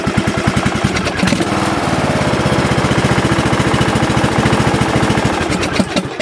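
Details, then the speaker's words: Lawn tractor single-cylinder engine after camshaft, sump gasket and crank seal replacement, sticky choke freed: cranks briefly, catches right away, steady beat about three and a half pulses a second; normal start and run. "Perfect, this engine started up right away. I can see it's going to be okay."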